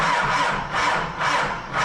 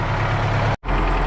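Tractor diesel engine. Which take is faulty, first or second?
first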